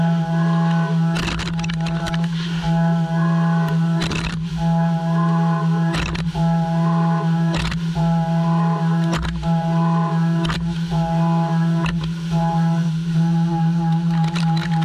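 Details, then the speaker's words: Heller HF5500 CNC running EV gear housing at 1650 IPM: steady low cutting tone with chirps about once a second per pass; end mill chirps from light radial engagement, since earlier fully engaged dry pass left little stock and pressure. "when you hear they're chirping that's because of the pressure because I ran the tool fully engaged earlier without cooling to show you guys"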